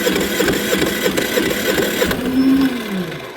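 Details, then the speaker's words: Generator that quit after running out of gas; fuel poured into carburettor, fires in quick even pops for about two seconds then dies, so fuel isn't reaching the carburettor. Fuel starvation. "Well, there you go. Ran out of gas, so it's not getting gas."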